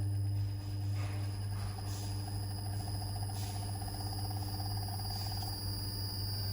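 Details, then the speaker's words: Carrier inverter AC running after P0 error PCB repair: outdoor fan motor and compressor on, steady low compressor hum with smooth even fan whir and a constant faint high tone; running normally. "इसकी outdoor की motor हमारी on हो गई है। ठीक है, आप देख सकते हैं, ये इसकी आउटडोर की मोटर है, ये ऑन हो गई है। कंप्रेसर की आवाज़ आप सुन सकते हैं यहाँ पर।"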